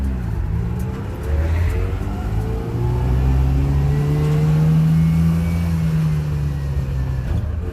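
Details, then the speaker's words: Subaru 360 van two-stroke on a road test, pulling through second gear at 20 mph into third with no grinds. A smooth, buzzy note climbs steadily with speed, amid body bumps and rattles: normal acceleration. "good runner a lot of bumps and rattles and actually run through"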